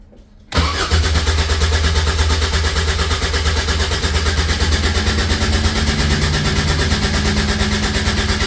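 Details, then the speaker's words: Caterham 7 620S cold after sitting overnight, cranking; starter spins steadily about three beats a second but never catches; fuel pump primes, no tach reading while cranking; cranks, no start, cause unconfirmed. "Try removing the immobilizer. So that flashes a lot. And no start. Put this by it. Fuel pump primes right away. Nothing."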